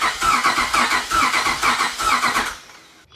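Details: Cranking a cammed 5.7 Hemi Jeep Grand Cherokee after an El Chapo cam install and tune: fast cranking with a lopsided beat, one stroke per cycle light; zero compression on one cylinder, possibly a pushrod out of place.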